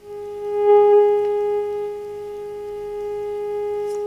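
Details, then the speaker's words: Telefunken Hymnus AM/FM/shortwave radio-phonograph, after power transformer and IF coil repairs, switched to FM with 10.7 MHz generator signal, through the set's high-impedance speakers: clean steady tone at one pitch; normal FM IF stage, 455 kHz and 10.7 MHz IFs both working. "vale veis 10,7 mhz y sintoniza por lo tanto quiere decir que tanto la parte de fi de 455 khz como la de 10,7 mhz de FM funcionan"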